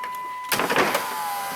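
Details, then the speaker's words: 2008 Chrysler Town and Country, driver's door had no power windows or locks (interior CAN fault): after reconnecting, switch clunk then steady even window motor whir, window going down normally; everything works now. "Doors down, baby. Hey, look at that. Everything works now."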